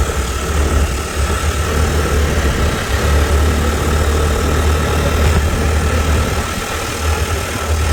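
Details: Mahindra Rodeo 125 scooter, bought used, with a weird unpleasant sound but good pickup, creeping forward on start: steady low uneven rough idle thump over faint ticking; abnormal engine noise, later disassembly shows badly worn parts.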